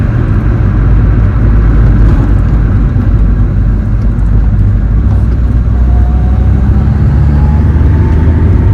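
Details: Honda Civic engine's first run: steady even low rumble, no knocks, ticks or stumbles, no check engine light; small coolant leak at intake manifold fitting remains.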